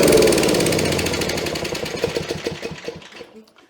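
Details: Coleman Powermate 3750 6 hp generator, stored about 6 years on non-ethanol gas with the carburetor left full, restarted. An even, quick firing beat slows into separate thumps and fades at shutdown after running cleanly; normal running.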